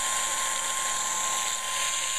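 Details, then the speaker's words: Audi A8 replacement fuel pump bench-run on 12 volts: a steady, even high whine with no surging, smoother and better than the other pump tested. A loose connection may cut it in and out when shaken. Normal fuel pump run. "so here it is running again it's built on 88,000 miles actually sounds smoother it sounds better than the other pump"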